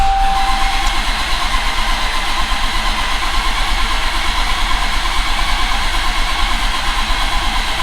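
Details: 2017 Dodge Challenger SRT Hellcat with a rebuilt 1500hp 6.2L supercharged Hemi, fuel pump relay and injectors disconnected, cranked to build oil pressure: steady starter churn about three turns a second, no firing. Oil pressure stays at 0 psi.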